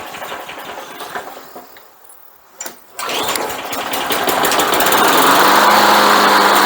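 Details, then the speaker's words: Craftsman mower with Briggs & Stratton Quantum engine that sat a couple of years (insects in carb, leaves, drive wheels locked, wouldn't start): pull-start catches after a couple of tries, then a steady, even run with no misses; runs normally. "Ceart go leor, fuaimeanna sí ceart go leor agus tá sin go maith"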